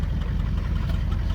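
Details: 1978 Chevy Malibu with a 6.2L diesel swap, Turbo 400 transmission, HX35 turbo at about 10 psi, straight pipes: deep, steady diesel clatter at an even idle, regular rhythm with no misses or stumbling; running fine.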